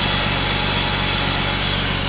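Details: 2000 BMW 328i idling loudly: lumpy, uneven low pulse under a hissy intake noise; rough idle, owner suspects a bad intake boot, unconfirmed.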